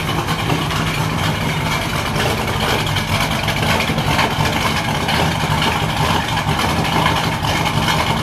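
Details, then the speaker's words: Freshly built 383 Chevy V8 in a 1964 El Camino, early start-up: deep, even lumpy idle with throaty exhaust and some top-end clatter, a little noisier than hoped but running healthily. "now it is a little noisier than I was hoping for but that's okay got a nice throaty sound to it"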